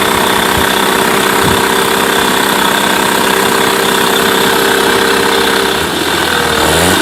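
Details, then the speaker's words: Mercury 8HP two-stroke outboard, sat unused for an unknown time, running in a water tub on its first test start and shifted through gears; a crisp, steady buzz that dips and picks up under load; normal running. "this is more impressive a wow not bad at all quite impressed to be honest I didn't expect it to"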